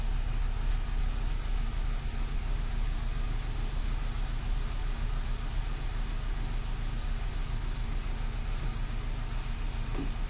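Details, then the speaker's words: Renault Clio II 1.4 16v after fuel pump replacement under the rear seat: low, uneven idle that wavers and never settles; unstable idle persists, so the pump swap did not fix it. "bon la voiture a démarré mais le problème est toujours là ralenti instable donc pas de succès encore"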